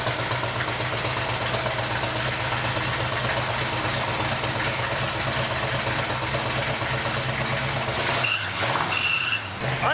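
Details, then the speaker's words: 1968 GMC half-ton V8, first run in 20 years after a carburettor leak fix: steady, fast, even idle at about 1100 rpm, roughly 300 too high, with no knocks and high oil pressure. Vacuum leaks suspected. "a little high, but it's idling. Look at that. We've got a pack idling about, 1100. That's about 300 more than I want it to be."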